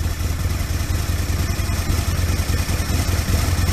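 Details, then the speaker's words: Aprilia RSV Mille 1000 V-twin started cold on a freezing morning, choke taken off quickly: low, lumpy thump ticking over evenly with no misses or knocks; healthy normal cold idle. "I honestly don't like running them on choke. I much prefer them to run normally. So I try and take the choke off as quick as possible. It didn't do too bad to say it's still cold."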